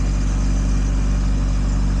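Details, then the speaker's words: Wrecked 1.8 Miata holds a smooth, even but fast idle around 1500 rpm even when warmed up to temperature; owner suspects throttle cable misadjustment from rerouting; cause unknown. "Even when it was up to temp, it stayed right around 1500."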